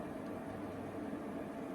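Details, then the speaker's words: 1990s Swan Teasmade kettle coming to boil, cool to the touch, not very loud: quiet steady hiss and soft low rumble rising; normal kettle boiling. "the kettle starting to boil. Cool to the touch. It's not super loud."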